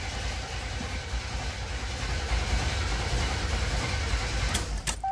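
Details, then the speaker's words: 1987 Buick Grand National turbo rescued from scrap, first start after new gas tank, fuel pump, sending unit, plugs, wires and vacuum lines; starter churns unevenly but engine won't catch, still smells of old gas. "not wanting to start [Music] not wanting to start shooting still smells like old gas"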